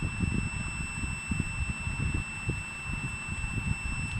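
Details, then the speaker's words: Digital multimeter in buzzer (continuity) mode, probes across both ends of a wire: steady unbroken high-pitched beep with a reading shown, meaning the wire is intact and good. "এই শব্দটা হবে এবং মানটা দেওয়াতে আমরা বুঝতে পারবো যে আমাদের তারটা কোয়ান্টিটি ঠিক আছে এবং তারটা সম্পূর্ণ ভালো।"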